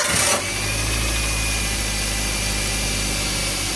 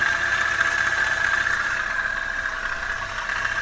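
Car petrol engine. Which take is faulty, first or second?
second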